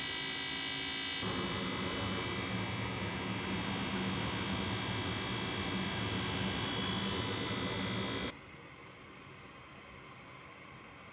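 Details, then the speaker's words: Goodman furnace model GMS80804BNBD before repair: a harsh, loud screech with a steady high whistle and fast pulsing, heard throughout the house. Cause was a failing draft inducer fan, fixed by replacing it. "Before fixing it I will constantly hear a screeching noise coming from the furnace. We could hear this through the whole house, not not only near the unit."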